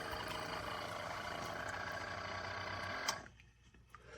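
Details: Chefman single-serve K-Cup coffee maker: a steady buzzing whir with a rough pump tone lasting about three seconds, then cutting off; an unusual pump noise of unknown cause.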